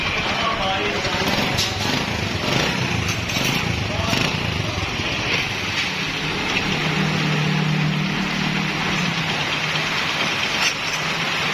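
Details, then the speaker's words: Honda CD 70 after replacing the timing chain and roller set to cure timing-chain noise: the engine idles evenly and quietly with no top-end rattle. Normal idle; the engine is now silent. "तो engine की आवाज़ आपने सुनी अल्हम्दुलिल्लाह बिल्कुल खामोश हो चुका है इंजन"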